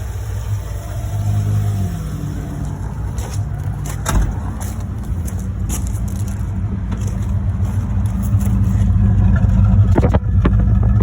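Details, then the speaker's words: 1975 Ford E100 van V8, first sustained run after revival, gravity-fed fuel, alternator suspected not charging: revs rise and settle to smooth steady running with no knocks or misses; engine sounds healthy. "man am I happy to hear that I tell you makes it all worthwhile"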